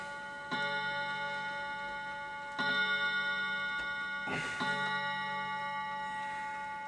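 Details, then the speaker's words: Old clock striking ten o'clock, after cleaning the clutch and squaring the movement in its case: clear bell-like strikes about two seconds apart ringing out evenly in a quiet room, a normal hour strike. "ten o'clock folks just check that yep it's olden time"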